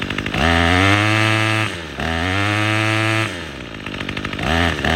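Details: Troy-Bilt TB22EC string trimmer that wouldn't start after sitting, after primer bulb replacement: crisp two-stroke revving up and dropping back several times, clean pickup and steady at full throttle while trimming; running properly.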